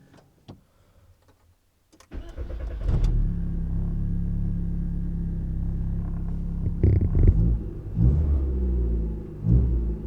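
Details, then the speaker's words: Volkswagen Golf first start after DIY timing belt replacement: cranks briefly, catches cleanly and settles into a smooth, even idle with a couple of light blips; sounds healthy with better throttle response. "sounds good I already feel kind of a better response"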